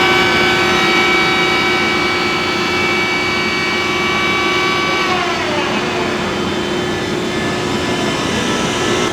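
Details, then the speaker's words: Green F12-090 hydraulic motor, torn down with no damage found and reassembled, run on the bench with no load at high RPM the way the customer ran it. Steady whine drops in pitch as it slows, no squeal. Dirt possibly flushed out during teardown. "I don't know if that's a possibility, but I can't get it to squeal"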